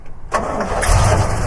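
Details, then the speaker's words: 1965 Chevrolet C10/C20 pickup with power steering and a newer battery: a quick crank catches at once and settles into an even, deep idle with no stumble. Smooth-running motor, normal start. "There we go. It's a smooth running little motor. Everything seems to be in pretty good order."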